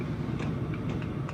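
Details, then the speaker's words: Kawasaki H2 750 triple carburettor being set up on the bench: a light, irregular ticking rattle as the float bowl is shaken and the loose float needle ball moves freely, showing the float valve ball is seated correctly. "hear it rattling you can tell that that float ball is seated"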